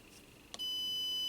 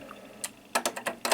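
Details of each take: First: MFJ-994BRT 600 W PEP automatic antenna tuner that fails only with its bias-T connected: after a click, a steady high continuity beep of almost a second shows a short across the antenna connector. A wire appears to touch the grounded copper. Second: MFJ-994BRT automatic antenna tuner, repaired for high SWR, tested on a 3:1 dummy load: a few sharp relay clicks, then a rapid burst as more relays kick in to match. Normal tuning cycle.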